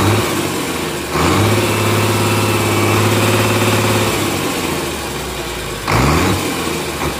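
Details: Komatsu S6D125 six-cylinder diesel on test stand after general overhaul (crankshaft, liners, pistons, conrods, all bearings, pumps, turbo, FIP and nozzles): steady low drone, briefly revved then back to idle, even with no knocks; normal running.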